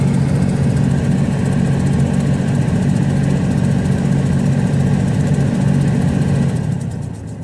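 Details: 2000 Ford Ranger XLT 3.0 V6 flexfuel automatic, 102,294 miles, after restart: low hum with a fast flutter, three to four beats a second, from behind the glove box, speed following the AC blower setting; AC still works fine.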